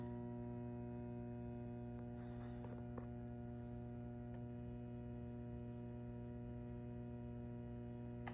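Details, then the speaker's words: Fender Deville 410 tube guitar amp, power tubes pulled: a constant low buzz-hum with no playing, steady and unchanging. Power-supply ripple coupling to the output transformer from leaky B+ plate-supply filter capacitors, which need replacing. "it's that B+ node there like I was referring to earlier it's the plate Supply and you can see that she's a leaky lady and these caps I tell you what they hung on for dear life"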